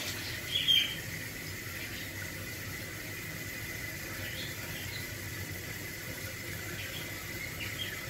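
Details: Toilet after fill valve fix: soft steady hiss of water refilling the tank with no whistle, squeal or chatter, fill valve shutting off quietly; noise gone, normal flush and refill.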